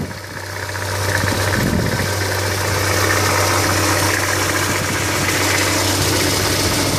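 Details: 2000 Hyundai Coupe 2.0 at steady idle: hissy, rattly layer over the low hum that persists as it runs; strange engine noise, cause unclear.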